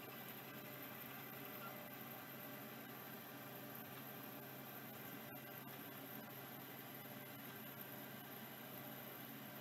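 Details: Late-model Singapore-made 6426S vintage hard drive: quiet, steady spindle hum with even whir, no scraping or ticking; spindle smooth and healthy, appears to be working.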